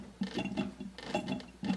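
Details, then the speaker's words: Mercedes CLK55 AMG, engine off after a coolant refill, lower radiator hose squeezed back and forth: irregular gurgling with occasional pops as trapped air is burped out and the level drops about an inch; air in cooling system. "and every once in a while you'll get kind of a pop to go through and there we go we were up to the brim and now we're probably an inch below"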